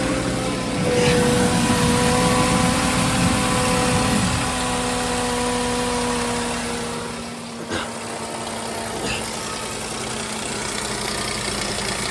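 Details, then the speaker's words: 2009 VW Rabbit 2.5 five-cylinder (07K), manual, idling with a harsh clattery tapping while leaking oil fast, likely from a loose vacuum pump, just before tightening it and adding oil; abnormal engine running noise. "Anything obvious? It doesn't sound good. I'm gonna shut it off."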